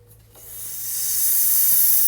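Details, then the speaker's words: 2008 Citroën C5 X7, air-conditioning circuit being charged: sharp hiss that swells within a second and holds steady, a large refrigerant leak found at the junction of two aluminium hoses; the O-ring seal was replaced. "une énorme q c'est même pas la peine de chercher je sais pas au 6 mai longtemps on n'a pas besoin de traceurs le bruit suffit"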